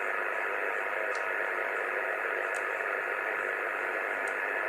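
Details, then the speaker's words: 2 m (144 MHz) amateur VHF receiver buried in constant S9 hiss and buzz with faint crackles, no signals getting through; powerline noise suspected after recent work on nearby lines, and the radio's noise blanker has little effect. "sounds like the power line noises back all over uh all over 2 m S9 of noise"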